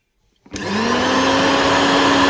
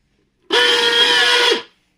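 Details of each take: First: Koryo mixer grinder after repair for loud noise and overload tripping: smooth, steady motor whine at one pitch, no rattle or grinding, winding down evenly; runs clean. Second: Koryo mixer grinder, which also trips its overload switch after 2–4 seconds of grinding, switched on: motor runs about a second with harsh loud whine and rattle. Worn motor sleeve bearings (bushes).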